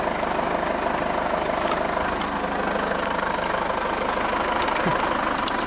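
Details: 2005 Jeep Liberty CRD diesel at idle with a loud, tractor-like clatter and busy rattle over a steady low rumble; it lacks power, goes into limp mode and makes no boost, with code P0105 for the MAP/boost pressure sensor.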